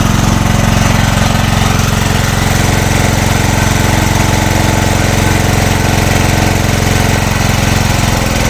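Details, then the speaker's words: Small single-cylinder generator engine running on gas after head machining, loaded to about 1–2 kW: heavy, loud, uneven thumping with wavering beat; rough running, worse than before the machining. Cause suspected, not confirmed. "хватав ну вообще паршиво роби оце вам іросточка тоді хоть робило стабільніше вобще що попало"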